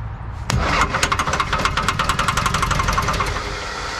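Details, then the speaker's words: Diesel Lull telehandler sat about 20 years, started on ether: cranks, catches, then hard rhythmic knocks about four a second through first rough running; oil coming from cracked exhaust, starter possibly disengaging. "okay i shot ether a little knocking never heard of diesel right hanging knocking"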